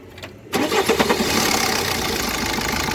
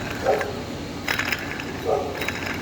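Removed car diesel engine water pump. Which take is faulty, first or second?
second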